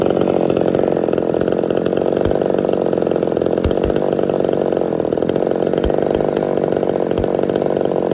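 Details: Ported Homelite Super XL-130 chainsaw on its final test run after adjustments for an idle screw that was turning by itself: steady high-pitched two-stroke scream at even speed, no surging or bogging; normal, clean running.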